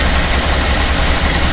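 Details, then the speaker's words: Original 6-volt 1951 Pontiac, unmodified, cold start with original carburettor and automatic choke; vacuum piston opens throttle slightly: steady even note at raised idle, no misses or knocks; healthy cold fast idle. "On voit que le papillon s'est ouvert. Le moteur tourne en ralenti accéléré."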